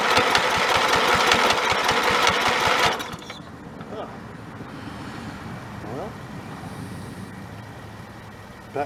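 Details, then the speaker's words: Snapper 30083 mower engine that sat in the woods 20–25 years, fitted with a carb from a 3081 and a swapped flywheel for an electric starter: it cranks evenly at about four compressions a second with no firing, and the magneto is presumed dead. "the drawing board i guess old magnetron unit must be dead"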